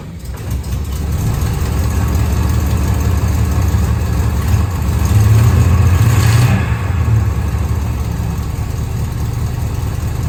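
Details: Holden HQ ute V8 idling after a fresh oil change, exhaust refitted and alternator wire fixed: deep, even burble with one smooth rev blip settling cleanly back to idle, no tick or knock, manifolds burning off; runs sweetly.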